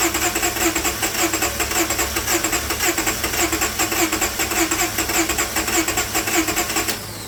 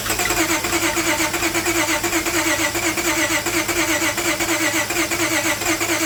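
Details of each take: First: Towed-in crank-no-start car with water-contaminated fuel, run on an external supply of gas, acetone and fuel treatment cleaner: engine fires and keeps running with a loud, steady pulsing rhythm, no stumbling. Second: Towed-in car, crank no start, new spark plugs fitted, engine fed from an added external fuel source with treatment cleaner: steady starter churn around 85 beats a minute that never catches into a run. No-start.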